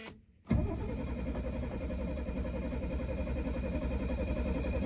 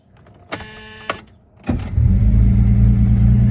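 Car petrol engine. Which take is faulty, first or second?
first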